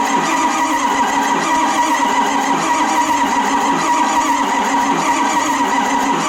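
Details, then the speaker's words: Ford 7.3 Powerstroke diesel, auction truck that wouldn't run, cranked after shimming the four driver-side injectors: starter keeps turning with uneven whirring chug but never fires; crank no start, suspected weak injectors. "I guess that is a negative"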